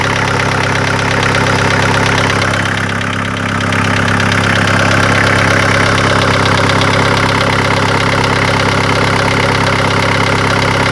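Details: VW T4 1.9 TD (ABL) diesel idling with a steady internal knock at about three per second; began after a sheared crank gear bolt caused piston–valve contact and all valves were replaced, unchanged after a cylinder head swap; lifters or injectors suspected.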